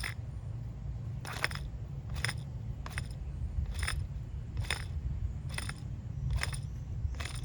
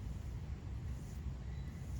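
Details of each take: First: 2001 Dodge Ram V8 4x4 front wheel hub (non-ABS) spun by hand off the truck: low gritty rumble with a sharp crunching click about once a second, with substantial play; worn wheel bearing. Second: New non-ABS front wheel hub for a 2001 Dodge Ram V8 4x4 spun by hand: soft, even low hum, smooth and quiet, no play. Healthy wheel hub bearing, unlike the bad hub being replaced.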